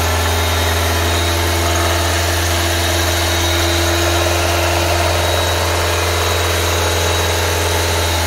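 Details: Nissan Livina X-Gear automatic, engine dry of leaks with new original parts, no smoke at oil filler: steady even idle hum, no knocking, ticking or vibration, smooth rise when revved; engine sounds healthy.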